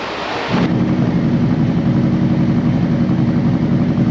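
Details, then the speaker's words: Used 2018 Harley-Davidson CVO Road Glide inspected before purchase: after short startup burst, deep lumpy V-twin idle settles around 1000 rpm, even, no knocks, rattles or motor noise; engine sounds healthy. "yeah mine it's idling at about a thousand rpms it's not a problem um i just wanted to see it settle down it sounds fine it sounds healthy no noise from the motor"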